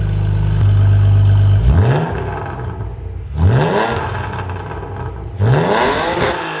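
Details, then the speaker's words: BMW with M52 exhaust manifolds and a spare back box added for silencing, after the repair: starts, then three quick revs rise and fall cleanly with a deep, subdued note and no rasp or blowing; well silenced and healthy. "that's a bit better let's take it up the road see what it sounds like under load shall we"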